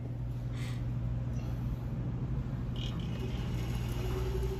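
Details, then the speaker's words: Reach-in cooler no. 1 compressor, even with a hard-start kit: steady low hum with no pumping, drawing 33 A and tripping on overload; the compressor is locked and needs replacing. "same thing, drawing 33 amps, going off on overload. So unfortunately, cooler number 1 will need a compressor."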